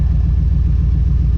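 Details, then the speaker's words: 1982 Chevrolet S10 with V8, after rebuilt exhaust (welded cats, added mufflers, cutouts), on jack stands: low, smooth, even idle burble with no rasp, hiss or ticking leaks; quietest it has been. Normal idle, quiet exhaust. "that is as quiet as this truck has ever been since I've had it."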